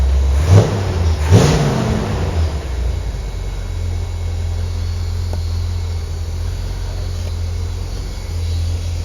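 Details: 1973 Chevrolet Corvette, L-82 V8 rebuilt (about 4,000 miles since rebuild), M-21 four-speed, about 78,000 miles, good oil pressure: deep steady idle with two quick throttle blips, healthy and settling smoothly; normal.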